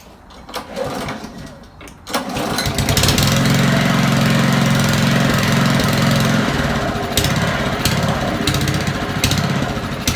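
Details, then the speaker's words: Honda mower idling unevenly for several seconds, then fading and stalling, with the air filter removed making the mixture leaner; it surges at idle and cuts out, owner suspects dirt in the idle jet and float chamber. "so as soon as we take the air filter off it makes the mixture runs a lot leaner and it's just stalling again"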